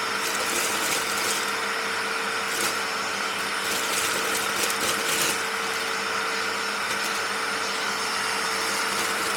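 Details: Panasonic MC-E468 vacuum with long crevice tool fitted, running after beater bar fix: strong steady motor whine with constant airy rush, level pitch, no surging or rattles; healthy strong suction.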